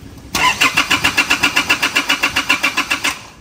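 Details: Car that won't start, with no fault codes: fast, even cranking for nearly three seconds that never catches. Long cranking from fuel not reaching the pump or interrupted fuel flow.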